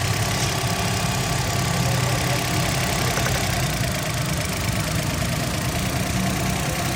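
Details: Suzuki Alto 2012, very cold start after adjusting jammed tappets without removing the head: steady, even idle with a smooth low hum, no missing beats or top-end tapping. Earlier hard starting and P0301 cylinder-one misfire are cured; no codes return.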